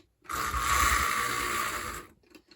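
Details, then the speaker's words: AHM BL2 HO scale locomotive after tightening the loose bottom plate: tiny motor whirrs for about two seconds with a gritty, buzzing gear sound over its hum; now moves, but slightly more gear mesh noise, cause unclear. "Sounds exactly the same as we had before, but it might have a little more gear noise now, which could be a sign of something."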